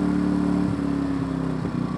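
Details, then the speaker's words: Smarter Tools generator, after repair of a carburetor fuel leak: a steady buzzy drone at constant speed with an even beat and no surging or knocking, smart throttle on, idling down. Normal running. "turns the smart throttle on idles down running good problem with that"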